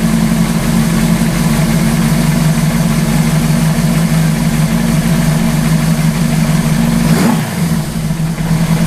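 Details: Suzuki GS850 four-cylinder scrambler after sitting all summer, oil leak fixed and correct main jets fitted, idling a while after a sticking float was tapped free: steady even idle, smooth low burble, no misses or knocks; battery charging to nearly 12 V; normal idle.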